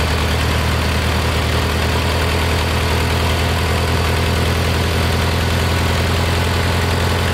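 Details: Kohler Magnum 20 after a carburetor rebuild, mixture screw turned in from about 1.5 turns out. Steady low single-cylinder drone, fast even firing with no misses or surging. Normal idle.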